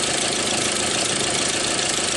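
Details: 2001 Audi A4 Quattro after replacing all four faulty ignition coils behind the no-power fuse 28/29/34 no-start; steady, even idle with no misses, knocks or stumbles, smooth and healthy.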